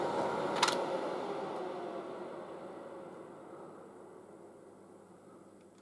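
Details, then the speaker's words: Late-1960s General Electric HD-8C bonnet hairdryer switched off after running on hot (quite warm): the quiet whirr falls smoothly in pitch and fades over about five seconds, no scraping or rattle; normal fan coast-down. "yeah it's quite warm on hot you can hear it winding down"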